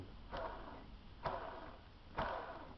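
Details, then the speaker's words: Small motor from an RC Catalina seaplane, spun by hand after a crash, giving three short gritty whirring bursts from a damaged bearing; the motors run about 18 A against a roughly 16 A rating. "incidentally in in the crash as well which is of some concern one of the motors actually got um a damage on the bearing you can hear it"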